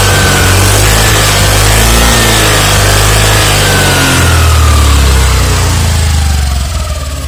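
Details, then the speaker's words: Honda Activa 6G BS-6 scooter, 109.51cc air-cooled PFI engine with CVT, started for a sound check: it starts, then revs up and back down smoothly and evenly with no ticking or rattle, though the owner feels pickup is slow. "So engine మాత్రం Honda వారికి అయితే చాలా చాలా స్మూత్గా ఉంటుంది."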